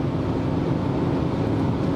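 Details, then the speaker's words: BMW straight-six in third gear at full throttle after a spark plug fix cured its poor running: strong, steady low roar pulling hard under load, no misfire or stumble; the engine sounds healthy. "so now I'm in third gear and we're gonna rev It Up to just show you guys that everything is fine thank god with our car and now pedal to the floor and listen to this ah this is so good I just love this"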